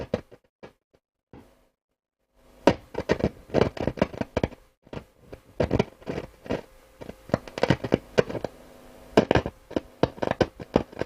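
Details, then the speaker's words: Hacker Herald RP30 radio under repair, with a short on the amplifier: irregular crackles and sharp pops with no stations received. Scratchy, popping volume control, with DC suspected on the volume control; cause unconfirmed. "no surprise absolutely no stations and a furry scratchy volume pop all this DC on it"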